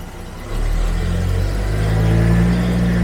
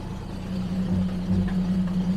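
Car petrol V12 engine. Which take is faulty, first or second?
second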